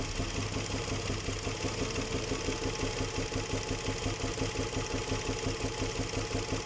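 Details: Nissan Murano Z50 at idle: steady, even knock about three times a second deep in the engine; suspected connecting rod knock, unconfirmed.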